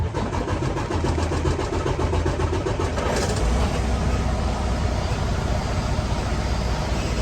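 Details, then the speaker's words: 2016-2017 Freightliner Cascadia with automatic, cranked right after fuel filter replacement; several seconds of steady starter cranking before the diesel catches and runs evenly. Long cranking after fuel filter change is normal. "and yes that is normal you're going to have a bit of a long start uh long cranking situation so again not a big deal"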